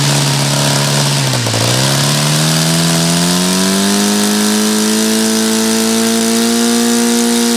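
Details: OS FT-120 II glow engine with RCEXL ignition, Master Airscrew 18x6 prop and Omega FAI fuel, on its last run before a new twin-needle carb: high buzzing tone sags briefly, then climbs and holds high and thin; needle set too lean.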